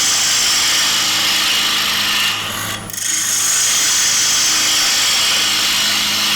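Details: Bowl gouge cutting the outside of a square-edge bowl with the bevel rubbing on the way out: an even, steady hiss of the gouge shaving the spinning wood, with no chatter or catches, so this is a clean, supported bevel-rubbing cut.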